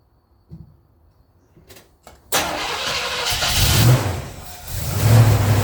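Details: Chevy 350 small-block in the pickup ToXiC, first start after intake manifold gasket and fan clutch replacement, using a little choke: a few hesitant cranks, then it catches cleanly and settles into a steady idle with brief blips; a normal start.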